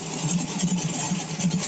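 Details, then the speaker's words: Carbureted small block on pump E85, blow-through CSU carb, warmed just past 140 degrees, idling around 850–900 rpm: steady even idle thrum, soft low pulse, no misses or knocks; smoother normal warm idle. "idle not much different sitting around 850 almost 900 but smoother you can definitely feel it when you're sitting in it when it gets to that point"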